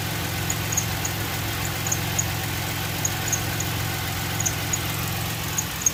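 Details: 2006 Pontiac Grand Prix 3.8L V6 idling after a coolant top-up with heater on and bleeder open: lumpy uneven low pulse with occasional sharper ticks, engine shaking quite a bit; owner later suspects a blown head gasket from heavy coolant bubbling.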